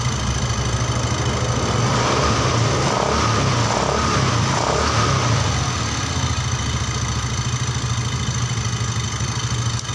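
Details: Yamaha Xeon GT 125 injection scooter that died suddenly while riding, flashing 39 MIL blinks; piston rings fine, fault electrical (miswired yellow cable); steady low even thrum for ten seconds without misses; normal idle.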